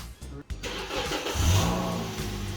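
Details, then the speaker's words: 2004 Honda CR-V stripped for weight loss: starter whirs, engine catches into a soft steady low hum, no rasp or drone, surprisingly quiet; normal quiet exhaust. "that's scary and quiet that's weird"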